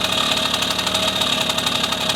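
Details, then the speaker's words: 1974 Honda MR50 two-stroke, new engine warm after heat cycle, air screw turned in from 1.5 turns out: buzzy idle sags from ting-ting to lugging brrr as RPM drops; air screw too far in, backed half out. "Hear that? RPMs dropping, lugging. So that's the factory setting there. That's really close."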